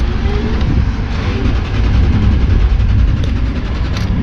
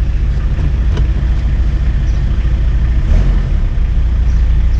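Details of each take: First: Car off the road two years, on a jump pack: steady, even cranking rumble with a regular low beat for several seconds but never catches; cranks without starting, no dash lights or radio. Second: 1991 Toyota LiteAce 4x4 Limited turbo diesel, right-hand drive: even diesel clatter at a steady idle with a low, smooth beat and no misses or knocks; no turbo heard but runs healthy.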